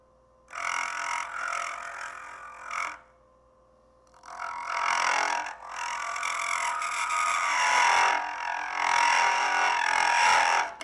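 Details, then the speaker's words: Easy Wood Tools hollowing tool on a lathe, cutting inside a Christmas ornament with light cuts, going in reverse against the grain: raspy cutting bursts with a thin, high squeal creeping in on later passes. Hollowing tool squeal. "when you hear that noise I'm back in here right here that's why you're hearing that noise you're going against the ingrain"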